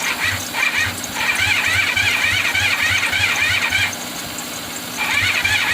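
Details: 1985 Honda VF500F Interceptor with rust-clogged carburetor fuel bowl, gasoline sprayed into the intake: uneven chugging pulses and a high squeal surge and fade as it catches briefly, then stumbles and dies. Owner suspects no fuel supply.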